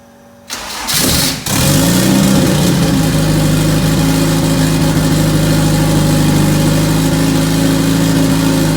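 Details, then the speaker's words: First start of a freshly rebuilt turbo AWD Honda CRX engine on a jump box: a brief crank catches immediately, then settles into a steady, even fast idle with a smooth hum and no knocks. Normal start. "Actually, it started right up. Cranked and started it immediately. Pretty good."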